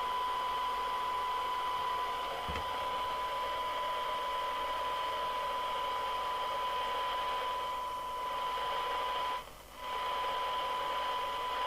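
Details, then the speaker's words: 1981 Grandstand Gemini CB27/81 UK FM CB radio on 12 V bench supply, clarifier set for best receive: steady hiss with a constant whistle and thin, muffled receive audio; poor reception, cause not yet traced, alignment starting at L14. "So, the fact that it's receiving badly must be for other reasons."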